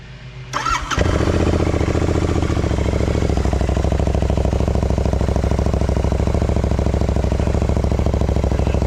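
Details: 3-year-old Euro 4 Royal Enfield INT 650 twin with free-flow exhaust and FuelX lean-fix on setting 6: catches after short crank, settles into steady even loping idle, deep exhaust note; running clean and healthy.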